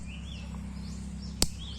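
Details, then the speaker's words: DIY garden electric fence with fence controller, 12V battery and polywire, checked with the supplied tester: single sharp snap over birdsong and low hum shows the wire is live and pulsing; pulse rate adjustable at the controller. "Okay, maksudnya sekarang kita punya wire tu ada elektrik lah, arus elektrik. So arus elektrik ni kita boleh control dekat fence controller lah, untuk bagi dia punya beat tu lagi laju ataupun slow lah."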